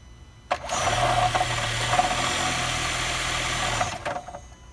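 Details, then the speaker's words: 2017 Honda Accord hybrid idling with a steady low drone and faint higher tone; owner unsure whether it comes from the engine or battery charging, dealer called it normal, owner disagrees. Abnormal engine noise at idle. "So I have to go to Honda dealer, and they told me it's normal, which I know it's not normal."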